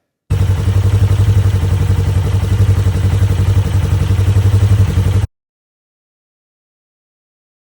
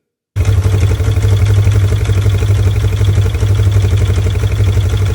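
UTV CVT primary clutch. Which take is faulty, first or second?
second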